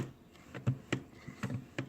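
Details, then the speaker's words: Virpil HOTAS flight stick, new out of box: uneven dry clicks and creaks as the stick is moved around, from the ball joint in the base; owner suspects it needs periodic lubrication, unconfirmed. "now if you can it's not really doing it right now but when this moves around you can hear it creaking"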